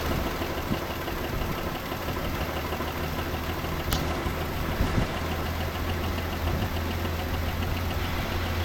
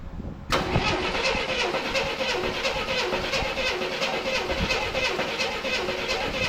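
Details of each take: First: 1984 Chevrolet C10 pickup, old six-cylinder, 84k miles, unused since 1993; after fitting a new distributor to restore spark it starts well and settles into a steady, even idle with no knocks or misses. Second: 1984 Chevrolet C10 pickup, inline six, 84k miles, parked since 1993: starter cranks steadily with gas poured in the carburetor but never fires; plug to be pulled.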